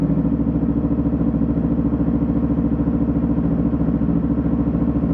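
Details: New Yamaha motorcycle after break-in oil change, on rear stand, in neutral, watching oil pressure light: steady even putter about three and a half beats a second, no knocks or misses; normal idle, no leaks.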